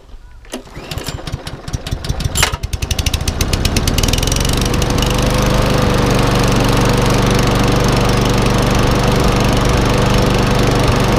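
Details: Einhell walk-behind lawnmower being revived, belt refitted, tipped up to check drive: pulls over, catches after a few seconds and settles into a steady, even drone; normal running.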